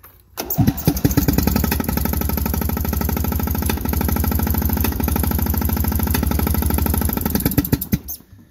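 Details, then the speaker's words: Cub Cadet tractor twin-cylinder engine cranks, catches and runs rough and lumpy on one cylinder, the other completely dead; not thought to be a rod knock, owner suspects a top-end or ignition problem. "only running on this cylinder right here. The other cylinder is completely dead. I don't think it's blown. It doesn't necessarily sound like a rod knock. But it doesn't sound very good, that's for sure."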